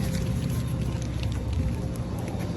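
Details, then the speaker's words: G-body SS Monte Carlo LS swap with a newly installed inline electric fuel pump, quarter tank of gas, key on with the pressure gauge reading zero: a steady low, even hum with no surging or rattle. The pump is running normally and then reaches 60 psi. "so I got a quarter tank of gas my fuel pressure is on zero got that hooked up I hear that fuel pump"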